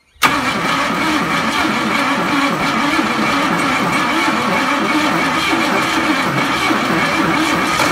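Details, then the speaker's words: Ford ZG Fairlane engine revived, no water pump, petrol-smelling bad oil, faulty distributor cap with missing carbon tip, likely bad carburettor: catches after brief crank, runs steady and even; fired successfully. "anyway so she fired pretty successfully there so yeah we'll go ahead and do a few other things"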